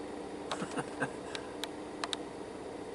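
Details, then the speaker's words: 1989 Volvo 240 overdrive relay after its solder joints were refreshed: crisp clicks in quick pairs and singles as the overdrive button is pressed and the light toggles; the relay now switches cleanly. "so with this thing newly soldered pressing the overdrive button here you can hear it click you can see the light go oh"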